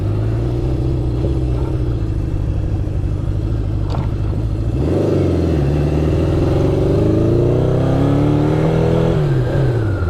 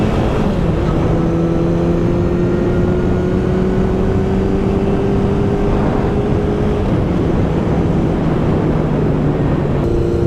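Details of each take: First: 1972 Honda CB750 four-cylinder, after carb rebuild and sync, riding: lumpy uneven exhaust stumbling as revs rise, one cylinder dead; caused by voltage loss through poor kill switch contacts. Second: 1972 Honda CB750 on a test ride after cleaning contacts: steady four-cylinder note climbing smoothly through the gears over road and wind noise, no stumbles or cutting out.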